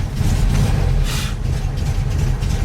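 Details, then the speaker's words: 1974 VW Super Beetle after reconnecting loose coil wire, started cold and briefly flooded: deep even low rumble with no misses or knocks; idling pretty good considering it's cold. "It's idling pretty good considering it's cold."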